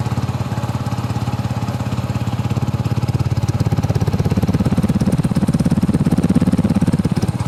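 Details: Yamaha R15 V3 single-cylinder motorcycle at idle just after starting: even, steady putter at about three and a half beats a second with no bearing noise, knocks or rattles, a healthy engine.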